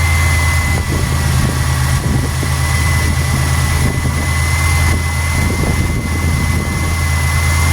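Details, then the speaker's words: Steady low, even idle with a faint constant whine, no misses or knocks, on a 1991 Buick LeSabre just started after reconnecting the cam sensor wiring while chasing code 41; computer running its one-minute system test; normal idle. "You gotta let it run a minute so that the computer can go through and test all the systems."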